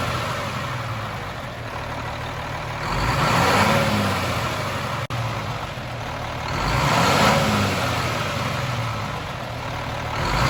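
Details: Cummins M11 diesel semi truck after priming/bleeding the fuel system following new fuel lines: steady idle with two smooth rev swells climbing and settling cleanly, no stumble; revved to get fuel flowing, no more air bubbles.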